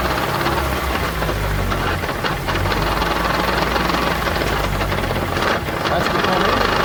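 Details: 2015 Chevrolet Onix (Prisma line), raised with handbrake on and running in gear, quiet at idle in neutral: steady rough mechanical drone under the engine note; manual gearbox gear noise.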